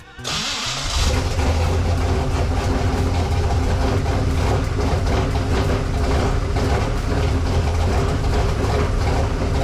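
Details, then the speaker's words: 1986 Chevy C10, originally a 305, swapped 350 small block crate engine, new side exit exhaust heard for first time: quick crank and catch, then deep even V8 burble settling to steady idle, no misses or knocks. "So we're gonna get to hear for the first time what this exhaust is gonna sound like. So I am pretty pumped."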